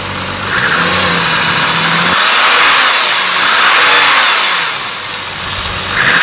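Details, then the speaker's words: BMW E34 M5 with S38B36 engine: a hollow whirring roar that swells as the timing chains load and unload, heard most when downshifting and engine braking; worn timing chain noise, chains replaced without removing the head. "maybe we can kind of spot that little roaring noise of the chains as they kind of load and unload for me it was a most heard when down shifting and engine braking and you definitely hear the chains kind of make noise"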